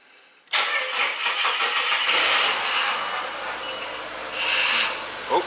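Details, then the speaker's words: Ford BA Falcon just started after a new power steering high-pressure line, sat for weeks, half a litre of fluid added to a one-litre system: loud rough hiss-whine groan from the steering pump as the fluid level drops; owner hopes it is only air cavitation. "i really hope it stops making that noise in a hurry hopefully it's just air cavitating so let's uh chop this back up that's a horrible sound"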